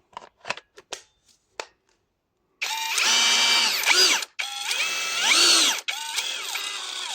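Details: Drill (PSB 20-LI C3) after reassembly in an attempted repair of slipping on both speeds, tested in gear 1 instead of 2: runs in short bursts, wavering pitch, rough crackling under the whine; gearbox seems to crunch and slip, cause unconfirmed.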